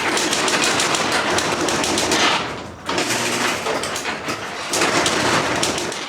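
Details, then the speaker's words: Old garage door opener before replacement with a Genie belt-drive unit, door closing: loud continuous clattering rattle in uneven surges; door bouncing, shaking and stopping. Cause not confirmed. "let's close the garage door and it see what I'm saying it's bouncing it's shaking and it stops oh my goodness it's shaking the"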